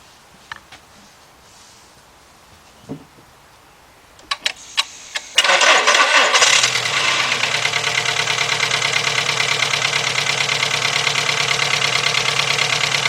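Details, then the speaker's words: 2.0 Volkswagen, restarted on a jumper: cranks and catches, then settles into a choppy idle with a regular stumble about three times a second; spark arcing seen when cylinder 1 is disconnected, confirming a cylinder 1 misfire. "now this at the way we didn't see that spark until I actually disconnected number one let's go back over here oh look at that it is number one guys"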